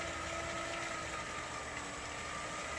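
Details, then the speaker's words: Headhunter X-caliber 12/24 V DC variable-speed boat water pump, repaired with donor-pump parts, bench test against city-main pressure: smooth, steady high-pitched whir, no rattle or surging; pump running quiet and pumping, healthy. "Okay, it's running. And it's quiet. And it's pumping."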